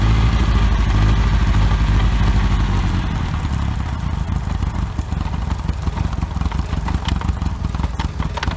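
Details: OMC 2.5 L 140 hp sterndrive in a 1981 Sea Sprite, run on water muffs after sitting since winterizing, temperature coming up: a smooth, even low idle with a steady beat and no knocks or misses. Quiet, normal idle.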